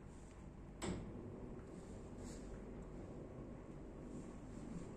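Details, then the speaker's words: Common market-brand motorized roller blind tubular motor running down after one click, with a fairly loud steady low hum and a faint constant tone; it also clicks on every stop. "didengarkan bunyi dengung motornya juga hai hai Hai naik Hai nah cukup keras ya Bunyi dengannya"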